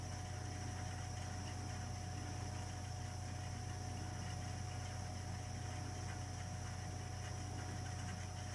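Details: Burnham Alpine ALP150W gas-fired boiler, 3 years old, frequently rumbles when running: steady low rumble with constant hum and faint fast flutter, never easing, during firing; cause unknown.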